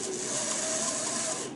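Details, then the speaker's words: Aurora HO slot car dune buggy chassis, restored, run on transformer: tiny motor whirs at high speed with a thin steady squeal from a dry bearing needing oil. "you guys hear that yeah it's squealing for oil"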